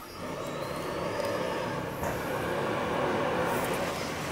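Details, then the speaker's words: Old-house whole-house central vacuum, previously no suction, tested after being plugged back in: even rushing airflow with steady mid-pitched motor whine, audible upstairs, no surging or rattle, running normally with good suction. "oh yeah you can hear it upstairs it's actually doing pretty good"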